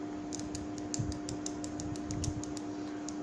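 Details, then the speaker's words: Fuel injector from a motorcycle, removed and bench-tested with 12 V applied directly across its terminals: crisp, evenly spaced light clicks about four per second over a faint hum. The solenoid works normally; this is before cleaning with throttle body cleaner. "So it's supposed to make a clicking sound like this."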